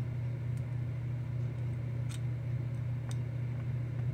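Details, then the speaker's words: Philco 71B cathedral radio, electrodynamic speaker tested with a 9-volt battery across its pins: four or five sharp clicks over a low hum, likely the voice coil responding, so the speaker appears to work. "getting a click there okay yeah I'll definitely have to check and see but we are getting a click anyway out of what sounds like the voice coil hopefully that's the voice coil"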